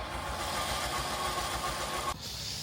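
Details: Car with a failed alternator, cranking: starter spins the engine quickly and evenly with no compression beat and no firing, then cuts off; the timing belt has snapped.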